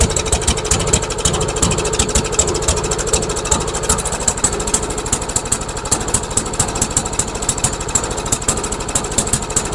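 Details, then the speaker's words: MTD Yard Machines lawnmower with a Briggs engine, carburetor and gas tank already replaced, after bending the bail linkage: lumpy, uneven chuffing at about two to three beats a second, as if choked heavily; the owner wonders if the governor is bad. Rough running. "all right let's give it another try weird it's almost like it's choked like crazy"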